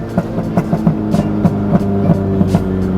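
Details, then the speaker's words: B-swapped EK Honda Civic, just fitted with a new throttle body to cure dying at stops: engine hum with sharp, uneven pops and cracks from the exhaust right as the throttle closes. It now backfires on throttle lift-off. "e something new going on so if you put some pressure on it and you let go [Music] it backfires"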